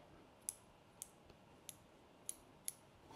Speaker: you can definitely hear the detents when they click and they are very tactile feeling so you can feel them through the wrench